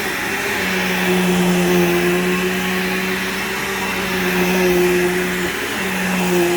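Steady even motor hum with a clean constant tone, no rattles or surging; the upright vacuum is running normally.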